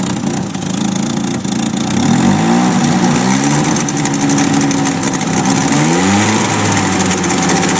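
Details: 1993 Nissan 240SX S13 SR20DET on jacks, exhaust leak, Godspeed manifold: idle hunts and stumbles, pitch sagging and recovering every few seconds, barely running; later traced to slight oil overfill while on jacks.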